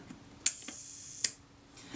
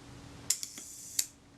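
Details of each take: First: Kodak Retina IIIS shutter after swinging the speed train closer toward the center for more cam engagement: two crisp snaps about three-quarters of a second apart with faint buzz between; timing now more believable; normal shutter timing after adjustment. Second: Kodak Retina IIIS shutter after cleaning the speed train: crisp release click, short buzzing escapement run, closing snap about 0.7 s later; running a little quick, speed train needs moving toward lens tube for more cam engagement; shutter speed train running fast.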